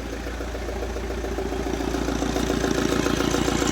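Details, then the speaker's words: Opel Vectra C Z19DTH diesel, engine rebuilt after accident, fuel lines just reconnected: starts and runs barely, lumpy uneven idle pulsing about three beats a second with heavy smoke; suspected fuel starvation. "Єле-єле щось працює. Диму повний кооператив."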